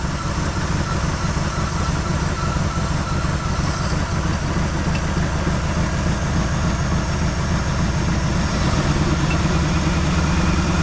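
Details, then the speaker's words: 1973 Malibu parts car, first start after sitting 25 years, with ether and possibly old gas in the carburetor: cold idle stumbles unevenly, missing on probably three cylinders, an engine misfire at idle. "Doesn't sound very happy. It's missing on probably three cylinders."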